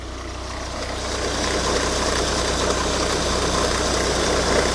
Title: Volvo V70 D5 - strange noise from auxiliary belt